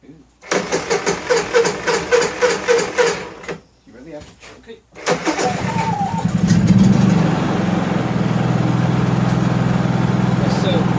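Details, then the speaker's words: Honda EU3000iS generator after restoration, new recoil rope, first start with fuel on and choke on, electric starter catches cleanly and engine settles into a steady, even run; 124 volts no load; normal electric start. "and a starter sounded great that's wow i'm impressed thing fired right up sounds good listen to it"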